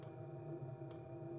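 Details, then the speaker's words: Chinese diesel heater being tested in a VW Transporter T5/T6, its exhaust loosely mounted for testing. A soft sharp tick about once a second over a low hum is the normal fuel dosing pump pulsing. "I like the sound of the Roaring from the intake and the exhaust but I cannot understand the ticking of a pump"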